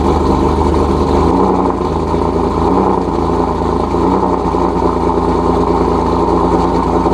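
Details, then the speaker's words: Cold-start idle of a single-turbo Nissan 370Z Nismo after sitting about three days, on a hot day near 100°F: steady, even idle with smooth exhaust, no raspy puffing or ticking, so no exhaust leak. "so and it sounds like we're good"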